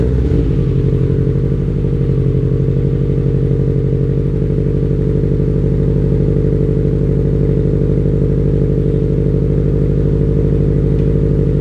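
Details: 2004 Subaru WRX STI, built 400hp, cold start right after installing Borla unequal length headers and resetting the ECU: steady deep even idle at raised cold-start speed, no ticking or puffing from the headers; clean running.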